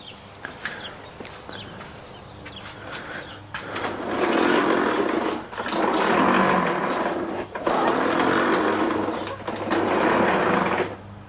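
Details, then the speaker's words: Exmark mower pushed by hand after fitting new wheel gears: smooth rolling rumble swelling with each push, no catching or grinding as before; slight rumble remains from unlubricated metal gears. "that's a lot better now there still is a slight Rumble but you're never gonna get rid of all of it you have gears Metal Gears non-lubricated"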